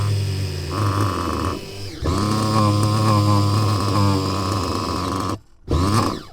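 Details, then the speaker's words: Mugen MBX6T nitro truggy, just restarted after a forgotten battery plug-in. High buzzing note wavers and stumbles, nearly cutting out before picking up again. Rough running, cause unconfirmed. "Well, there's one thing that is for sure, is it doesn't sound very pleased."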